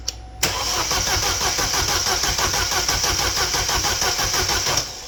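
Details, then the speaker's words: 2012 Chevrolet Cruze 1.4L turbo after head gasket replacement, no coolant yet: fast, even cranking for about four seconds that never fires; crank no start because fuel injectors were left unplugged, ran once plugged in. "You know what would help? If I plugged in the fuel injectors, let's try that again."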